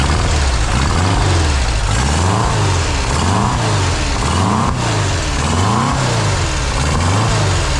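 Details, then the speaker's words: Refreshed 2-litre VW flat-four on a test rig, first start, still cold, with Vintage Speed exhaust; loud even buzz, revs drifting up and down, no knocks or misses — normal running, timing to be double-checked. "I think overall she sounds like she's going to be a good little Runner"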